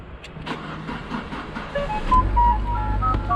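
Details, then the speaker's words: Alfa Romeo Mito with a 5-year-old battery in cold weather: slow, sluggish cranking at about four pulses a second before it catches; voltage drops to about 9 V or lower while cranking; weak battery, later replaced. "if you are listening to the how much the engine crank it crank for very long time before it start"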